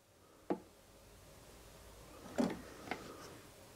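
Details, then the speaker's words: Drive Devilbiss Cobra mobility scooter that switches on and charges but won't drive. Clicks of the electric brake releasing when the forward lever is pressed, with no motor hum. Power module, batteries and wiring not yet checked; cause unconfirmed. A six-flash code appears afterwards. "let me press it to go forward i can hear the electric brake kicking on but it's not moving"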